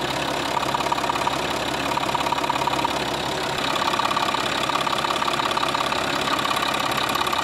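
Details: Scrapyard UHZ DT17TED4 diesel in a Citroën C6, idling after about 25 km with injector cleaner added: a light, regular ticking about three per second. Owner reproduces it by touching the fuel pipes under the cover and suspects a sticking injector; unconfirmed.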